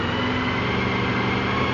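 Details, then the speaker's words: Honda VFR V4 motorcycle revved slowly around 2,000 to 3,000 rpm: even, steady hum with no misses or rattles; engine runs reasonably well and smoothly. "however as you can hear the engine runs and it runs reasonably well"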